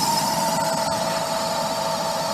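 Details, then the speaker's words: Vintage Harmon pellet stove, long stored, retested after blowing out dust: steady high-pitched whine over even fan rush; exhaust fan motor running but kind of noisy. "Yeah, so that's the exhaust fan. The motor is kind of noisy."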